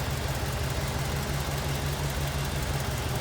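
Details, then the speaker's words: 1947 Ford Super Deluxe Business Coupe, 239 cubic inch flathead V8, 3-speed manual; soft, even burble about three pulses a second with no ticks or knocks, smooth, quiet idle. "Pretty smooth and quiet. There you go. That authentic old school flatty sound."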